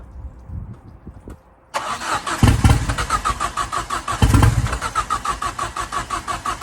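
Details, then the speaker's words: Ford Fiesta RS Turbo, first run in over four years after restoration and engine refit: cranks, catches, settles into lumpy pulsing idle with chuffing; exhaust manifold not tightened and downpipe loosely hanging on. Uneven idle after first start. "so yeah as you can hear the car is running I am beaming that's go over four years since this car has run"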